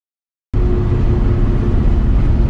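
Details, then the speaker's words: Moser 12-bolt rear end with US Gear Lightning Series 3.91 ring and pinion, about 2 years old: loud steady howl despite a good contact pattern and a pattern change; new gears, shims and bearings being fitted. "If you remember, ever since I put in the Moser 12 bolt rear end, which is brand new like 2 years ago, the differential has made noise, a loud howling sound that's very obnoxious and very annoying."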